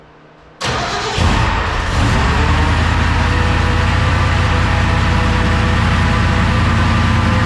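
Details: 1969 Ford F-100 460 V8 on jack stands, restart after moving clutch fork spring off actuator rod: engine fires and runs steadily with constant whining grind; owner suspects drivetrain/transmission, unconfirmed.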